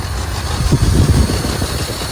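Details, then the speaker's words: 1980 Lincoln Continental from a salvage yard, air cleaner disconnected: low, lumpy rough idle with an uneven puffing beat. Suspected vacuum leak, no fuel from the factory fuel pump, and a possible exhaust leak or plugged exhaust with nothing coming out the pipe. "I know we've got to have a vacuum leak somewhere because the air cleaner's disconnected that might be why it's running a little rough"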